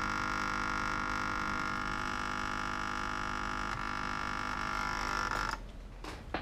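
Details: Australian-made 12 V 8 A RMS car battery charger (rated 4.75 A continuous output, measuring only about 4 V and dropping): loud, steady electrical buzz with a hard edge that holds, then cuts off; overheating rectifier.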